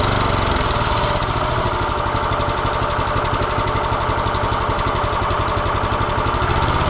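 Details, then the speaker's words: Kohler 6.5 hp engine on a Cub Cadet rototiller, started with choke on after carburetor replacement: steady, even single-cylinder chugging with no misses or stumbles; it runs well. "Yeah, it's running great. I'm impressed."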